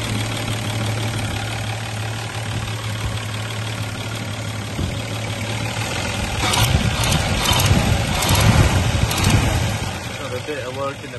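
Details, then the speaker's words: 1961 Rover 100 at idle, heard from a short distance: smooth, sweet idle with a light puffing tick and chuff; exhaust manifold leak, a new manifold suggested. "Oh yeah, she's just chuffing out that exhaust manifold a little bit. You can hear it from here. But she runs very sweet."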